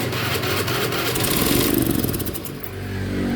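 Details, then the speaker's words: Honda Beat FI scooter brought in as a no-start (O2 sensor also faulty): the starter churns and the engine stumbles into a few ragged firings, then fades. It is flooding because the injector sprays continuously whenever the key is on. "dia mau hidup mungkin sisa bensin yang ada di ruang pembakaran kali ya tuh ini nyembur terus ya nyembur terus bilamana kita di apa namanya di ee dikunci kontak"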